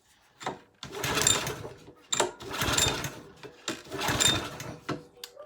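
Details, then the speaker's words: Suffolk Punch cylinder mower, air-cooled petrol engine, on a bit of choke with car-cleaner starting spray: three hard pull-cord cranks with no firing because the spark plug lead was left off; cranks but won't start (no spark). "why didn't you tell me i'd not put the spark plug back on"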